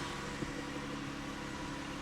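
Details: 2014 Dodge Grand Caravan with newly replaced engine, after P0023 cam actuator circuit fix and starter tapped to crank: steady, even idle with smooth low hum, no knocks or misses, no engine light.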